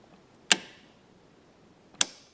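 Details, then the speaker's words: New Intermatic battery-powered light timer, installed in the garage about two months ago to replace an AC-powered timer that stopped following its on/off times, gives two crisp, strong relay clicks about 1.5 seconds apart. Normal relay switching. "that sounds so much stronger too i like that"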